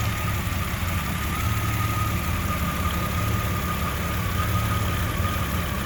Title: Jeep Comanche 4.7L Stroker Rough Idle